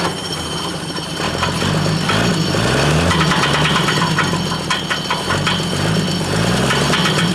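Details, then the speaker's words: 1938 GMC truck six-cylinder running: light, quick ticking slaps, about four a second, that track engine speed as the fan hits the belt. "the belts the belts turned on it sort it but it's doing just sitting that noises it's hitting the fan"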